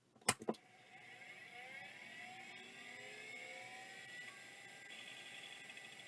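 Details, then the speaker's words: Maxtor Colorado (Miniscribe-designed, Maxtor 7000 series) hard drive powered up: a couple of sharp clicks, then a whine that rises and settles into a steady high hum; normal spin-up. "it even sounds like a Max 3 7000 series luckily it seems to work"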